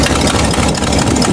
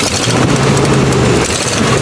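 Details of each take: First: Old V8 Buick that stalled and ran on about four cylinders, after new distributor cap: restart after sitting, even steady idle, no misses; slight shaking normal, manifold gasket smoking. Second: Buick V8 idling after an ignition repair with the coil wire refitted: loud, rhythmic pounding and puffing. Owner suspects a bad exhaust gasket leak, possibly also a bad lifter.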